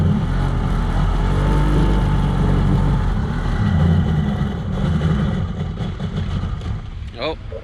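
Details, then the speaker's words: Kawasaki 1100 ZXI jet ski on the water, after stator and CDI fixes: surges and stumbles, revs never settle; running poorly, suspected faulty stock CV carbs. "all right guys in the last clip you saw this thing in the water it wasn't running right at all and we're pretty sure that it was these junky cv carbs"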